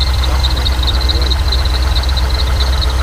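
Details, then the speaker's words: C5 Corvette Z06 with 383 stroker built motor, built trans and Flowmasters at idle: deep V8 idle with a fast, high, squeaky chirp repeating steadily over it; serpentine belt chirping, likely slipping. "Got Flowmasters, you might hear a bit of a low. Belts chirping. That's obnoxious."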